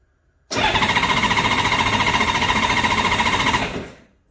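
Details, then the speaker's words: Honda Goldwing motorcycle first start of spring, ignition on, choke off: even rapid cranking with no firing while the low oil warning light goes out, showing oil pressure. Normal starter cranking. "I'm just going to crank the engine you'll notice that as you do that as you crank the engine the low oil warning light will go out that means we've got oil pressure it's flowing around"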